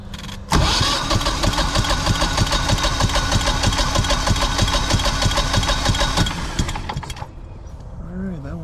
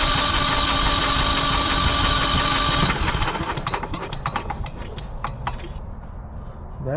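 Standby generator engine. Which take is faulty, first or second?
second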